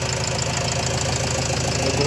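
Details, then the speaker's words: Renault Trafic 2 / Opel Vivaro 2.0 M9R780 diesel after replacing faulty piezo injector 0445 115 007 and re-priming the pump: steady even idle clatter, no misfire or stumble; running smooth, back to normal. "mais là le bruit est vachement vachement fluide VI plus comme avant tout est rentré dans la normale"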